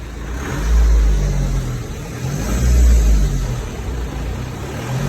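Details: BMW 320d 2008 (58 plate) diesel idling; deep hum swelling and fading about every two seconds, strange noise comes and goes, same warm or cold, cause unknown.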